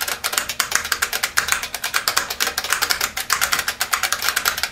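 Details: IBM Model F buckling-spring keyboard with numeric keypad, typing demonstration before disassembly. Crisp loud clicks at fast typing pace, each keystroke a sharp snap: normal key click.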